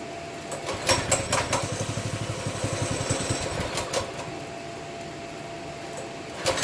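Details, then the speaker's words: Baja Warrior 200cc single-cylinder after loosening the chain, choked, throttle not yet right: light, fairly even putter at low throttle outdoors; runs better than before, normal running. "And we got the chain loose. It actually runs a lot better."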